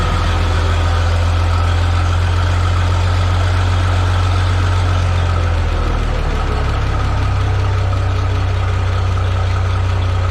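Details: Minneapolis-Moline G950 propane tractor on a very cold day with the Stanley muffler fitted, compared to the deeper new-old-stock one; deep steady even rumble, no knocks or misses, a bit louder through the muffler; healthy idle, valves sound good.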